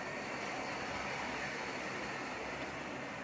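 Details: Photocopier after replacing worn body/drive gears that caused a khat-khat clatter: smooth, even whir with no knocking or clatter; gear drive running cleanly.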